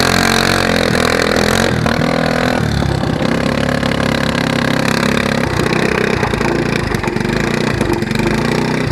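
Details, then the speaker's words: Go-kart (Yerf-Dog) engine before the homemade brake-cleaner-can muffler is fitted: harsh raspy bark at idle and through throttle blips from an open pipe with no muffler; judged too loud. "that's pretty loud it's too loud I can't do that"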